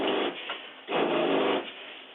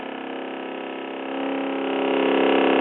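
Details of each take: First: Vintage Cruiser 19 ERD trailer fresh-water pump switched on at the tank monitor panel: the motor buzzes in short surging bursts, cycling about every second. Faulty pump check valve, which also lets city water backfill the fresh tank; to be fixed. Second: Fresh water pump on a vintage Cruiser 19 ERD trailer after a faulty check valve was replaced with a half-inch SharkBite check valve: steady even drone as the lines purge air and pressurize, then a clean shut-off; normal operation.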